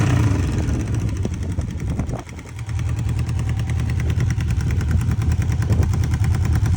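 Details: 1995 Honda CB750 Nighthawk four-cylinder idling and revving with an uneven, irregular patter in the low engine note; abnormal engine noise, cause not yet known.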